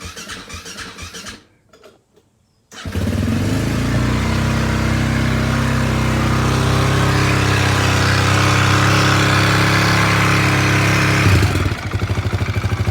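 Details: Husaberg FE450 single-cylinder bought as a non-runner, after troubleshooting, timing check, water pump seal and clutch repair: a few cranks, then fires and settles into a steady, even thump with no stumbles; normal running.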